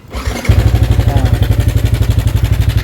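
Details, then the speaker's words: Sniper 155 motorcycle at 2,568 km, idling before repair: fast steady metallic chatter about four per second over the idle; cam chain tensioner noise, tensioner to be replaced and rechecked after. "ba tunog tensioner yan kapag ganyan So ito na ipapalit natin tapos pakinggan natin ulit mamaya after natin gawin"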